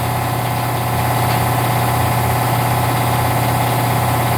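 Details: Newly installed Harbor Freight air compressor pump, replacing a worn Gardner Denver pump, in a 67°F building: loud, steady motor drone with constant hum and even pump chatter, no knocks; running normally apart from an audible air leak.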